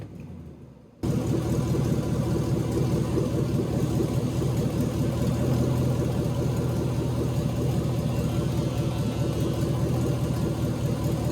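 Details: Swapped LS V8 in a BMW E46, first start in chassis with a custom cooling system; catches after a second and settles into a smooth, steady low rumble with no ticks or misfires, a healthy warm-up idle.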